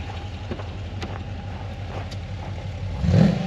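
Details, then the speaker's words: AWD Dodge Charger with HEMI V8, tuned with HP Tuners, listened to from the rear: deep rumbling idle then a quick throttle blip; fitted headers make it sound different from stock; modified exhaust note. "Teeb natuke teistsugust häält küll, kui originaalis teevad. See header juba mõjutab."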